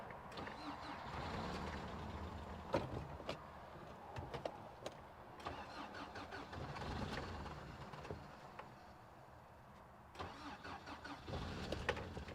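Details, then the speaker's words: 1993 Toyota pickup sitting at least 10 years, reportedly parked for head gasket or timing chain issue, weak battery, screwdriver removed from airflow meter: engine catches, runs rough, sags and stumbles as if fuel-starved, then dies; starts but won't stay running, cause unconfirmed. "while it runs it doesn't run terrible it just won't stay running"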